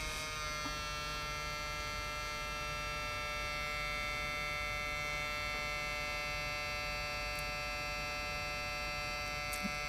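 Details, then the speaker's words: Toshiba Satellite Pro CDT440 laptop floppy drive with disk inserted: steady thin whirring hum with no seek clicks; something is wrong with the drive. "now that doesn't sound good so there is something wrong with the floppy drive"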